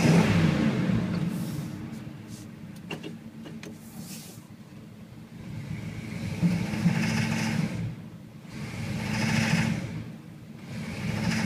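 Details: 1978 Chevy K10 V8 knocks when going from idle to wide open throttle or under load; rough knocking heard as throttle is blipped repeatedly from idle.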